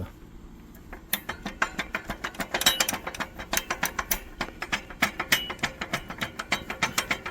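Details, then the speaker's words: International 4700 (DT466E) truck driving with rapid, uneven metal-on-metal clacking, about three a second: parking brake band behind the transmission slapping its drum because a worn brake plate leaves excess gap; worn parts to be replaced. "llevo tiempo buscando un ruido que es metal con metal"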